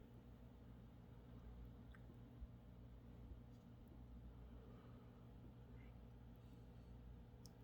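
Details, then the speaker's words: Haier mini fridge not cooling: compressor hums straining to start, then single click as it drops out; bad start relay. "it's trying oh there it went so and you had to hear that click so that tick just tells me that yes the relay is bad"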